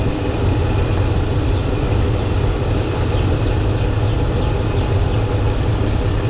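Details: 2003 Dodge Ram 5.7L Hemi, about 200,000 miles, after power steering pump replacement for a leak, idling as the wheel is run lock to lock: even, low idle rumble with no pump whine or groan; normal idle, fluid just slightly low.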